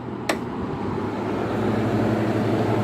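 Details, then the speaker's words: 2017 Frigidaire 5000 BTU window air conditioner heat pump with Welling fan motor, first startup with fan off: a soft click then a low, steady, quiet compressor hum; normal compressor running. "not bad actually mr. reversing valve you can't even hear that compressor"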